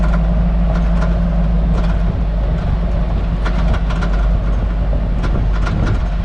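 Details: Hummer H2 at only 10–20 km/h: irregular rattles and taps from the rear/cargo area over road rumble, tapping felt in the rear; springs, shocks, spring seats, sway-bar links and bushings already replaced with no effect; cause unknown.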